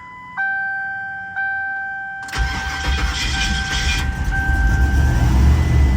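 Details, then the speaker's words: Turbo Ford Crown Victoria V8 started after sitting about 3 weeks; two dash chimes, short crank, instant catch and steady deep idle; normal cold start. "What a great machine this thing is. 3 weeks sitting. Fire right up."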